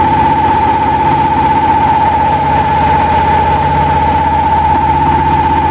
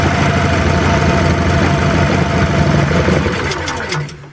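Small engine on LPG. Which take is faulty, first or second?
second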